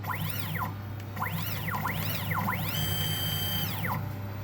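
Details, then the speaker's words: 3D-printer stepper motor on a sewing machine with acceleration turned back up after a low-acceleration stall: the whine sweeps smoothly up and down in pitch over a steady hum, no stalls or skipped steps. Normal operation. "I'm happy. All I need to do now is fine tune it so that each click is one full stitch without, so the arm will always be at the top."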